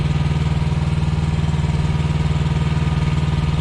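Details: Thermo King Evolution truck APU diesel after inspection and repair, with the air conditioning on; a smooth, even idle with a low steady pulse and no knocks or exhaust leaks; healthy.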